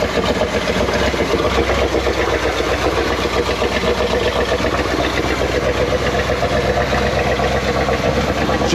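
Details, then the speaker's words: 1979 Chevrolet C20 454 big-block V8, revived after sitting about 13 years: it fires up and idles with an uneven, stumbling beat, missing on one cylinder; new spark plugs are suspected as the need. "okay well it fired up okay good enough definitely missing out on the cylinder we need some new spark plugs"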